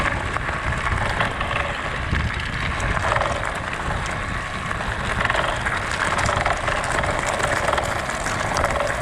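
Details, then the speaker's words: Pletscher Esge bicycle kickstand riding over rough ground: fast, uneven metallic chatter over rolling tyre noise as the loose kickstand rattles metal-on-metal against the frame; kickstand rattle. "It doesn't seem like much, but when you hear that for mile after mile on a gravel road, or even a paved road, it starts to get kind of annoying."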